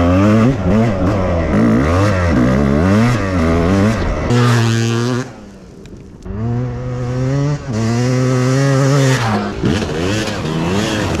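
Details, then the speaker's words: 1998 Suzuki RMX250 two-stroke, reassembled cheaply after overheating and loss of compression (melted aluminum cleaned from cylinder, some pitting left, not bored/relined): crisp throttle blips rising and falling cleanly, no vacuum leaks or stumble, responsive. "Doesn't sound like any vacuum leaks. Nice and responsive."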